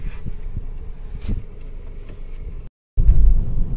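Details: Mercedes CLA 200 after repairing a cut sensor wire and clearing fault codes, previously vibrating with flashing check engine light: low even rumble, brief dropout, then steady idle, no warning lights; normal idle.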